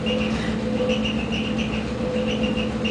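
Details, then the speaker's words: Gas furnace in a townhouse with heat on, also audible upstairs through vents: steady hum with a rough grinding undertone and bursts of high chirps, new over the past few weeks; owner suspects something loose, cause unconfirmed. "there's this chirping noise and and that uh now there's the grinding noise that there was just the chirping noise before now there's also some grinding noise something"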